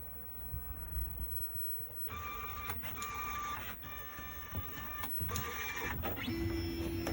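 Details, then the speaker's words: CNC machine (E4) during first homing, possibly wired backwards, not yet homed before: whirring stepper with uneven ticking and jumps near the corner; X2 stepper motor suspected of skipping steps. "when it got to the corner it sounded like I think that is x2 stepper motor sounds like it was jumping a little bit"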